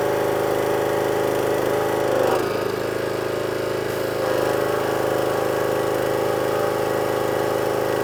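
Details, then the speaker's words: Petrol pressure washer that previously only ran on choke, now with water connected and a new lance: the small engine holds a steady, even drone with the choke off, no surging or dying. It is running properly. "So beforehand, it wouldn't even run off a choke. Water's on."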